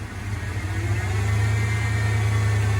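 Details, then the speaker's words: 1993 Ford F-150 V8 idle surges up and back down, erratic searching idle, also fast idle at 35 mph off throttle, no codes; owner first suspected O2 sensor, fixed by replacing the throttle position sensor. "93 F-150, listen to the idle. Hear how it's kicking up? Then it's going back down."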